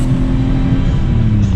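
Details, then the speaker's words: Kei truck after muffler crack patched with muffler weld compound: patch failed within about a thousand feet of driving, loud raw low rumble with rough blatty exhaust note; exhaust leak at muffler. "i got a thousand feet before i failed miserably so it's [ __ ] loud as hell"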